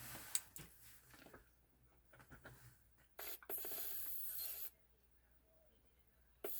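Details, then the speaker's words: SEGA Saturn Model 2 VA SD 5-pin motherboard being tested on a USB-C PSU. Over some handling rustle, a steady static hiss from the audio output cuts in for over a second, then stops abruptly. It sounds wrong. "Ooh, that don't sound good. It's got a weird sound to it."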